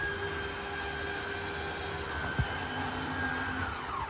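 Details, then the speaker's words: 2022 Forest River Salem Hemisphere Elite 36FL travel trailer slide-out: steady even electric motor hum without grinding, stopping when fully extended; normal slide-out motor operation. "all right and that's fully extended you hear the motor stop there"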